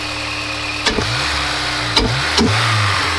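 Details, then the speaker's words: Honda S2000 AP1 at idle after the clogged intake and air filter were cleaned and an O-ring changed: smooth steady petrol idle with a constant low hum and stray garage clunks; healthy normal idle. "so the intake is all cleaned up ready to go um the car can finally breathe"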